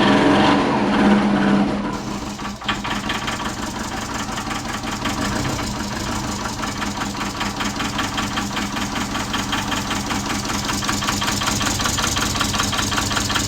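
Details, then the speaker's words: Subaru Forester with big turbo and new stage 2 cams, first start for break-in: low, lumpy idle with an uneven loping beat around two and a half per second; rough idle, idle speed too low. "it was only like 600 which is way too low that's why it sounds so readily at the moment we wanted like 1500 plus"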